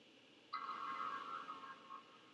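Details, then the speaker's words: 2015 MacBook Air A1466 logic board with a no-power fault, after the pads were cleaned and U1950/C1950 replaced, drawing about 430 mA with the CPU warm: a single clear startup chime through a plugged-in speaker, and the fan spins. "there's a chime got fan spin chime obviously or posting"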